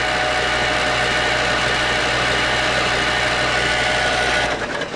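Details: Minneapolis-Moline 4 Star tractor, previously water-stuck engine, after bending the rubbing part clear: steady fast cranking about four beats a second, even with no scraping; turns over cleanly.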